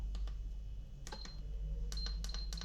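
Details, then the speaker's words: Electric kettle that switches on but does not heat, set to 80 degrees on the bench: several short, dry ticks as the relay on the control board switches on and off normally. "Ese ruidito hace referencia a que este elemento que tenemos aquí, que se llama relé, ¿sí?"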